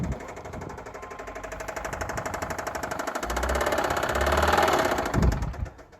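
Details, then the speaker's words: 2005 Subaru Outback XT, flat-four turbo boxer (believed EJ255), apparently ran low on oil: hard metallic knocking about four times a second over shaky idle, sharpening with revs; failed lower-end rod bearing. "So this is what lower end rod failure or rod bearing failure sounds like on these turbo engines."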